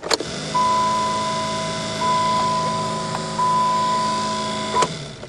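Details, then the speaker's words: Old four-wheel-drive vehicle on a cold start in snow, failing to start after low fuel: a steady electric whir in even bursts with short pauses, separate from any engine note; an unfamiliar motor running behind the dash. "Sounds like there's a motor in behind there which I never heard before."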